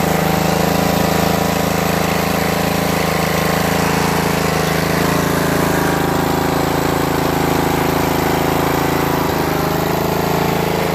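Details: Craftsman DRM500 Yard Bug 10HP riding mower after replacing starter motor, solenoid and battery cables: small single settles into a steady, even hum with no misses, knocks or surging; runs healthy.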